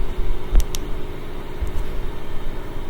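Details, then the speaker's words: LG washing machine with an LE error, after replacing the rotor Hall sensor; it only quivered before: steady low drum rumble at the highest spin speed with no knocking or scraping; normal high-speed spin. "So the high-speed spin looks really good. Back to normal."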